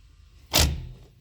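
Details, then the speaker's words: K24-swapped Honda CRX throttle body being lapped with valve lapping compound, engine off. One short soft clunk as the throttle cable pulls the butterfly open: the plate sticks at rough contact spots top right and lower left before breaking free. "As you guys heard that little clunk, that's the, you know, the the throttle cable pulling on the plate to open it cuz it gets stuck."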